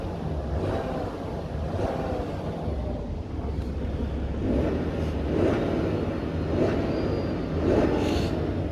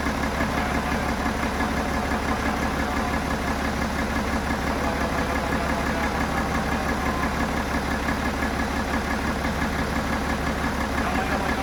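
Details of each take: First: BMW F11 535xd diesel, 313 hp, after rebuild following catastrophic engine failure: even, deep rumble with smooth steady beat, no ticking or knocking; normal diesel idle. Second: BMW F11 535xd twin-turbo six-cylinder diesel, failed engine: at idle a steady knock about three per second rides over the clatter; owner says the knocking comes from cylinder number three, consistent with a rod bearing.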